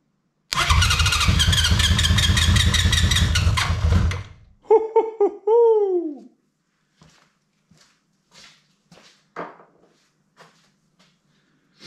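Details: 1983 Honda CB750 stored at least 10 years, first start on an external fuel supply: cranks, fires and runs with an even four-beat-per-second pulse for about three seconds, then shuts off cleanly.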